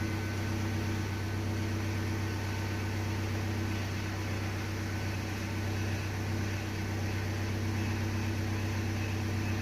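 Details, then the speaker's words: 2003 Honda Civic just after a power steering pump replacement for a whining noise: steady droning hum with a whirring buzz at idle from air coming out of the system; the noise later became much quieter. "I think it's just a fluid pumping in after 14 love really loud mine alright so bit of an update so apparently that was the air coming out of the system now its way quieter"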